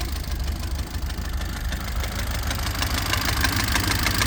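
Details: 1967 Alfa Romeo Giulia Sprint GT Veloce 1600 just after a rebuild, not yet properly tuned or timed, idling low: light quick ticking of about three per second over a lumpy idle. The valves are tappety.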